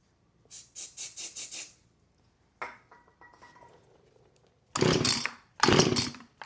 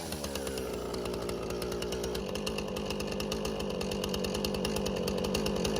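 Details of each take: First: Husqvarna 455 Rancher chainsaw, unrun about 3 years, starting fluid sprayed in. Each pull gives harsh bursts that fire only briefly and never catch, a hard start from a fuel delivery fault; it later ran on choke. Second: Husqvarna 455 Rancher chainsaw, unused about 3 years, after carburetor removal, cleaning and reinstall; high, even two-stroke buzz holding steady revs while cutting limbs, no bogging or surging; running healthy.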